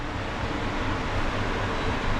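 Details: Balcony exhaust fan with asynchronous motor on a new speed regulator: even airy whoosh over smooth low drone, no buzzing mains hum or rattles; fan runs normally after regulator swap removed the hum.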